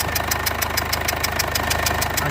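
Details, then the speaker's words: 2015 Mercedes CLA 220d diesel with an engine light and a reported misfire/vibration. Sharp, regular puffing tick about six a second over the idle clatter, from the back of the engine, where an injector is leaking compression badly. "I think it's an injector I might be wrong I looks like one of the injectors is leaking in quite badly"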